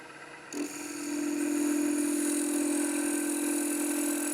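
A wood lathe cutting smoothly: a steady hum and even hiss of the tool, with no banging.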